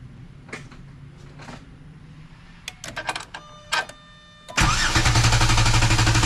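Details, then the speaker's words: 3.8-liter engine in clear-flood mode (pedal floored) cranked by the NovSight G5 6000A jump starter during a repeated-crank torture test: a few clicks, then strong even cranking about four beats a second, no firing; starter spins the engine healthily. "This vehicle does have clear clear flood mode. So I'm going to put the gas pedal all the way to the floor. So it's not going to start. It's just going to crank."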